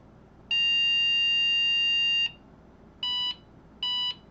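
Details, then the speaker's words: IBM PC XT 5160 motherboard, repaired after bad capacitors and a short (C56 removed), powered with POST card and video card: clicks on, then one long and two short beeps on a steady high tone; shows video and counts memory. "gives a long and 2 shorts for a beep. And it shows video."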